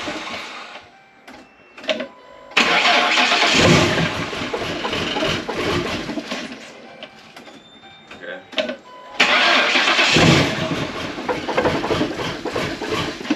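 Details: Crown Vic Police Interceptor with a 7.3 Godzilla V8 swap and Whipple supercharger, first start after sitting 5 months on a booster, freshly flashed with the base tune: a couple of short cranks, then a loud roar, a lumpy idle and a clean restart.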